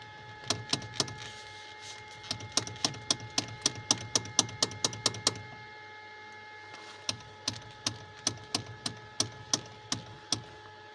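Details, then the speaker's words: 2012 second-generation Kia Picanto: sharp dry knocks, about three to four a second in two bursts, from the steering column; cause not yet found. "Имеется характерный стук в рулевой колонке."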